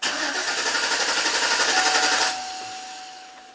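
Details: 2011 Chevy Silverado 5.3 V8, intermittent stall and crank no start, code P025A fuel pump control module enable circuit; starter churns evenly about four turns a second for two seconds, never catches: pump module not waking, no fuel.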